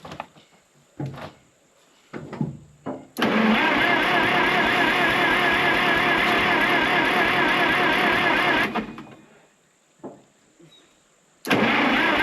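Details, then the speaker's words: Case 970 or McCormick-Deering W9 tractor after sitting 15–25+ years: starter churns steadily about two turns a second but engine never catches; carb float sticking, flooding itself — crank-no-start. "Yeah. It's just flooding itself right now."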